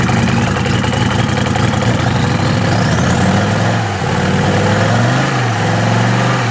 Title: 93 om602 mercedes rough idle